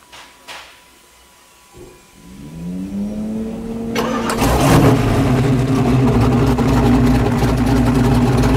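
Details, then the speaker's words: 347 stroker carbureted V8 on an engine dyno while idle and air mixture screws are adjusted: starter whirs about two seconds, then it fires and holds a loud, even, lumpy idle with a steady beat. "oh what I'm doing right now is I'm adjusting the idle in the air get a little more power coming out of this carburetor"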